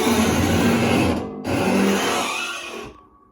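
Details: Dishwasher door swinging: two long, rough creaking squeals from the dry hinge cable and spring. The fix requires removing the dishwasher from the wall.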